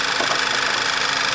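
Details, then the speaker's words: 2011 Volkswagen Passat after replacing failed PCV valve: even, steady idle with smooth hiss, no surging or stumble; sounds like it used to, nice and smooth, fixed. "Sounds like it used to. Eh? Much better. Yeah. You can never hear it in the exhaust. Nice and smooth now."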